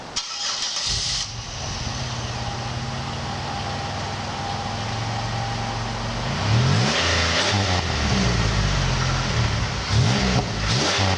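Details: A car starts, settles into a steady idle, then revs twice with a clean, even exhaust note, after an exhaust leak was fixed and Grand Prix GXP tips were fitted.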